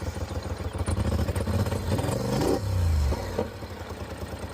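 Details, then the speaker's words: Polaris Sportsman ATV (850 per title, 570 per speech) idling and blipping with an uneven, stumbling skip and dropped pulses; misfire fixed with new spark plugs and plug wires. "Definitely got a little misfire."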